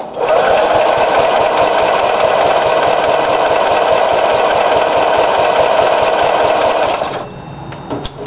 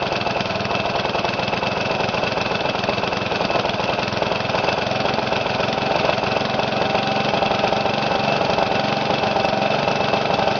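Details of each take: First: Briggs & Stratton engine, first run after new piston rings and gaskets: high, screaming, steady whine flat out for seconds then cuts off; overspeeding because the governor was adjusted wrong. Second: Briggs & Stratton mower engine, first run after new piston rings and gaskets, governor readjusted after overspeeding: holds a steady, even speed with no hunting or surging; normal running.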